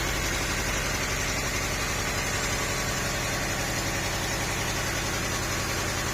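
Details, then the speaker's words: 2nd-gen Honda CR-V started to show the problem: steady idle with an uneven, shaky beat, not running on all cylinders; later traced to a misfiring cylinder from a dead ignition coil. "เดี๋ยวผมจะลองติดเครื่องนะครับลองดูเสียงมันจะเป็นอย่างนี้คือมันเหมือนเดิมไม่ครบสูตร"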